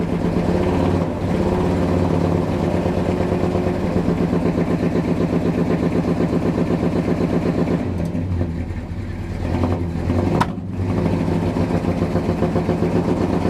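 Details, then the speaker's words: 1971 Dodge Sweptline big-block V8; the rear cylinders had been hydrolocked with fuel from a carburetor leaking into the crankcase. Plugs are fuel-fouled, firing order is correct, oil pressure is good, and blue oily smoke comes off the passenger bank. Stumbling idle with skipped beats, still missing, hitting on about seven cylinders. "Man, she just drowned in fuel. Still putting out a lot of fuel through the exhaust. Sounds like she's cleaning up a little bit."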